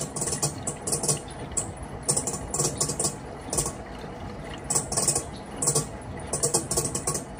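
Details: Panasonic washing machine running: irregular bursts of light rattling and clicking inside the drum over a quiet motor hum; something loose knocking around inside.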